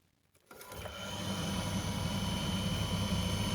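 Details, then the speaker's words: Candy CTDB H7A1TBE-80 integrated condenser tumble dryer: drum motor won't start alone, only the pump runs; after a hand tug on the belt it hums up into an even spin; failed 7 µF run capacitor. "now the model's spinning so more than lightly the problem is with the Motors capacitor you can hear it there spinning it won't spin by itself you've got to give it a tug once it's um switched on"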